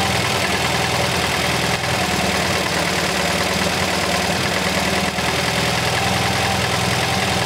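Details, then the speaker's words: MGB GT after fixing the Lumenition ignition module, cylinders 2 and 3 now firing: steady, slightly lumpy cam-style idle with even firing, no misses; normal idle. "so as you can tell the engine is now running very smooth"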